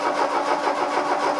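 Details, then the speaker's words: Mk2 VW Golf GTI barn find, parked 20 years, replacement 8-valve engine with spark confirmed after firing order fix: even cranking rhythm, never fires, no fuel pump noise; crank no start, no fuel delivery. "are you hearing when you turn back here you're hearing a fuel pump I'm hearing nothing no no fuel pump noise"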